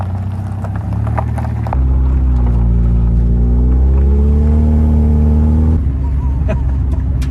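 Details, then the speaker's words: DB1 Honda Integra on a test drive: it pulls through the revs but stumbles and flutters under load. Runs better than on the first drive but still breaks up; cause not found. "It runs a whole lot better than the first time I drove it, but it still breaks up quite a bit."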